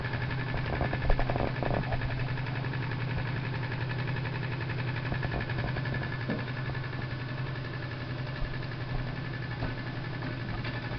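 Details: Jensen #60 steam engine converted to ball bearings on the drive shaft, runs on 1/2 to 30 psi; low steady hum with light even beat at slow speed, no knocks or rubbing, a small rough spot on the flywheel; runs smoothly.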